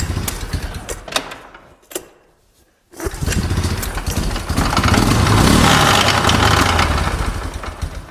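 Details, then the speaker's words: Big Bear quad running with no driveshaft fitted: the engine idles with a steady knock of about four per second from the rear. The U-joint at the back of the transmission is suspected but not confirmed; the carb is also leaking. "That knocking noise though is likely from the, whatchamacallit, the U-joint on the back of the transmission. Since there's no drive shaft, it's going straight to the diff."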